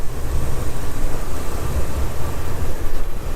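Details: Engine reassembled after spark plug work: deep, steady, even rumble with no ticks or misses; normal engine running.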